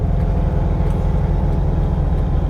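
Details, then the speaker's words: 1971 VW Bus with twin carburettors: fast, steady drone well above normal tickover, with backfire and reduced power noted; suspected hanging carb or carbs out of sync. High idle. "Like I said, it's it's it's idling way higher than I want it to."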